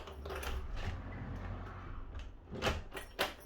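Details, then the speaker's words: uPVC door after replacing a stiff, clicking, sticking barrel lock: crisp key turn, clean latch clicks and solid door clunk with no grinding or sticking; new lock opens and closes normally. "You can see now, opens and closes, no problem whatsoever."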